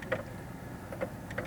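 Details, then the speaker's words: Geoprobe SP22 ISP groundwater sampler pump at setting three, about half speed, roughly 60 cycles a minute: soft, quiet ticks about once a second over a low background hum, showing normal, even pump cycling. "we're at a setting of three this is about half speed on the pump roughly 60 cycles a minute about one cycle a second"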